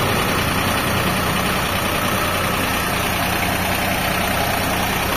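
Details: Kubota BW20-1 wheeled excavator (bucket 0.1), just imported, unwashed, started for a test: steady, even diesel clatter at idle with constant loudness and no knocks or stumbles; engine runs healthy.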